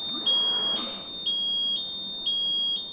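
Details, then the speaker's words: Hamilton ventilator (demonstrated on a HAMILTON-T1, SW 2.x): a steady high continuous-tone buzzer with brief pulses, sounding when alarms are not silenced within the first minute. "if these alarms are not silenced during the first minute you'll also hear the continuous tone buzzer"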